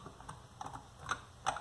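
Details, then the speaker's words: Salvaged three-phase permanent magnet motor turned by hand: light separate ticks, two or three a second, from normal magnet cogging; the rear bearing, which grinds, is believed failed. "but it is a twelve-step permanent magnet three-phase motor I don't know how well this is going to work for wind turbine or any kind of turbine because it's got a lot of cogging"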